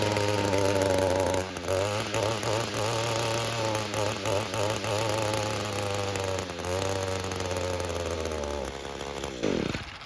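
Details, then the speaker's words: Echo GT-225 two-stroke string trimmer after a fuel system rebuild, warm restart. It starts right up but the pitch wavers and sags, running unevenly. Carburetor suspected not set right and needs adjusting, though it runs far better than before. "Alright, so it started right up again, which is great. But again, there's something going on with that carburetor. It's not quite right."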